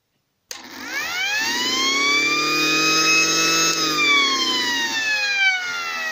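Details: Gent mini mono mains siren with a waterproof cap sealing the top air inlet: winds up to a high wail that sags and wavers in pitch, as the blocked inlet starves the fan of air and weakens the loud tone.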